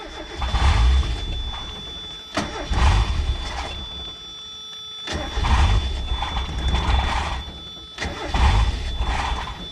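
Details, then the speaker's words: $100 Mazda Miata, first start after sitting, fuel pump fed from a bucket: catches in short surges that die every couple of seconds and won't hold idle. Stalling. "I don't know what's that sound, but it sounds awful. It's weird, it doesn't want to stay going here."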